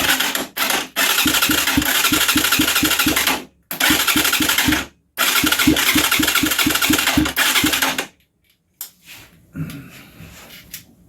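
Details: Huaniao HN125 Chinese 125 cc motorcycle, thought to be in neutral: starter churns in steady pulses about three a second, but the engine never fires and cranking dies away; cranks but won't start.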